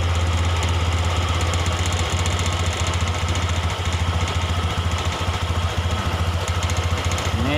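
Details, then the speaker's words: Honda Beat ESP fuel-injected scooter, idle air screw opened about two-thirds turn then a further quarter turn to raise rpm: fast, steady idle with even chugging, too quick for idle, from excess air entering the combustion chamber. "langsamnya kencang karena terlalu banyaknya udara masuk potong adanya kebocoran udara yang masuk ke ruang bakar melalui Angels true"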